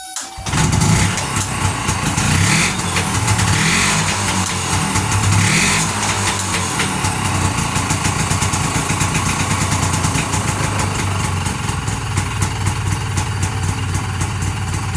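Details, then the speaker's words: 1981 Yamaha G1 golf cart small single-cylinder engine, ice cold, fires right after re-priming the fuel pump on its start after rebuild; catches and settles into a steady, even putter around four beats a second, no knocks; runs right. "Turns out I had to prime the fuel pump again, and as soon as I turned it over, it fired."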